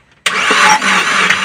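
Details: Overheated Suzuki New Carry, spark plugs removed, cranked on starter only: loud wet hissing spray of coolant blown out of the open plug holes, radiator water low; severe overheat damage, engine to be torn down.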